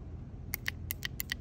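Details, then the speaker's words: Irrigation valve solenoid, removed and bench-tested with a 9 V battery: crisp, sharp clicks, about eight in under two seconds, one per battery touch. Solenoid pulls in properly and is good. "can you hear that so that means that solenoid is good so now we got to move on to the next step in troubleshooting"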